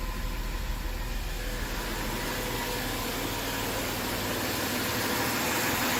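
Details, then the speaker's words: 2013 Jaguar XF 3.0 AJ126 supercharged V6 after engine repair, fresh 5W20 oil, low coolant and old low fuel: smooth steady idle hum, even rhythm, no ticking, knocking or misfire; healthy, no fuel leaks. "I like it I think it sounds good I'm going to shut it off"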